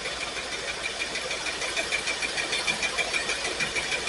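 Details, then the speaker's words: Pontiac Firebird V8, warmed up at idle after first start: quick, fairly even light ticking about three per second over the engine; valve train tick from a lifter that won't quiet, owner suspects a possible misfire or dead cylinder. "This thing warmed up a little bit. The valve train's got a little tick to it."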